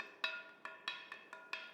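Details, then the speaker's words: Ring test before mounting a grinding wheel, tapped lightly around the edge with timber: seven clear, lingering bell-like rings, meaning no faults or cracks. "And it should give a distinctive ring. That's a telltale sign there's no faults or cracks in the wheel."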